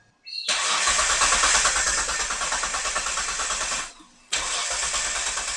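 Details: 1997 Mitsubishi Legnum with replacement engine, earths cleaned and fuel pump replaced: starter cranks steadily for several seconds, pauses, cranks again with no catch; wiring issues suspected; crank no start.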